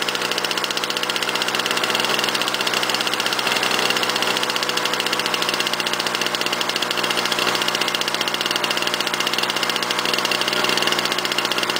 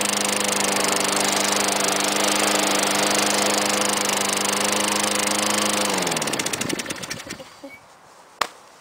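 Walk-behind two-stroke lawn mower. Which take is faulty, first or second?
first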